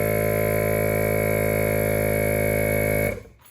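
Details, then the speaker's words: ARB compressor that had surged, blown a fuse then stopped, reinstalled and retested, air line disconnected: steady even motor drone, constant low hum, no knocks or rattles, spins down cleanly; running normally again. "It's working again. There's nothing wrong with it, right? Saying it sounds good after a rebuild."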